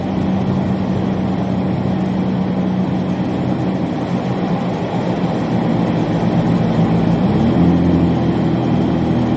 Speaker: right listen to that exhaust leak Roar guys listen to it Roar